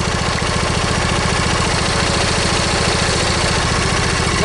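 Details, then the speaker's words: Briggs & Stratton V-twin lawn tractor engine at idle: fast, uneven chuff about 214 beats a minute with lumpy, skipping rhythm; owner suspects one cylinder missing, to check ignition system and valve cover gasket; not confirmed. "so I guess we're going to be digging into an ignition system plus we need to fix settings valve cover gasket which actually there's valve cover gaskets part of length the reason that this cylinder"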